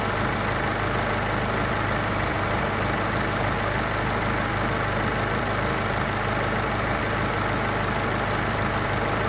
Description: misfiring/shaking after 1 minute idling in the cold start